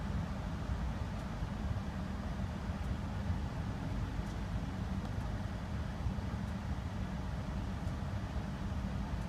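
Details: Range Rover P38 4.6-litre Bosch V8 after misfire diagnosis and repair: smooth, even low rumble with no stumbles or uneven beats; misfire cleared.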